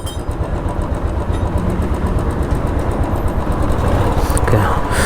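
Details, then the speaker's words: Royal Enfield Classic 350 single-cylinder after a major service with new chain, sprocket and rear tyre: steady, even low thudding idle with no knocks or rattles, set just as before. Normal idle. "ஐடலிங் எல்லாம் as expected. Okay, ஐடலிங் எல்லாம் கரெக்டாக நம்ம எப்படி வச்சுருந்தோமோ அப்படி தான் இருக்குது."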